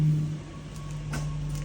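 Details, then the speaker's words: 1995 Toyota Celsior (Lexus LS400) V8, previously a no-start, starts right up after a new Delphi fuel pump install and idles low, smooth and steady with no misses, knocks or surging. Normal idle. "All right. Moment of truth. See if this thing starts with the new fuel pump. Boom. Started right up."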